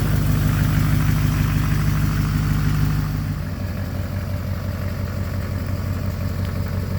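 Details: 2006 Chevrolet Silverado 6.6L Duramax diesel, Allison transmission, after replacing a cracked downpipe that caused boost loss and black smoke: engine holds a raised speed, then drops back to a smooth, even idle with a steady low rumble, no puffing; normal.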